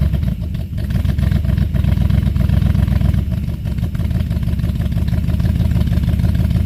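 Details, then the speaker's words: Buick 350 V8 after oil pump and lifter change, cold start on choke: a deep, lumpy rumble that stumbles and misfires, smoking from spilled oil. Owner suspects the oil pump, a new exhaust leak and an unknown squeak. Rough running. "It's back up and running. It smokes, of course. It sounds awesome. It runs like crap."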